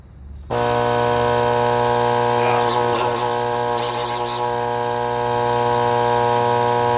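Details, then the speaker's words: Alita 60 air pump tested right after a rebuild, with the lid off: a loud, steady buzzing hum that stays even apart from brief handling clatter; it runs normally and is noisy only until the lid goes back on. "She works. She's loud until we put the lid back on, but boy, she worked."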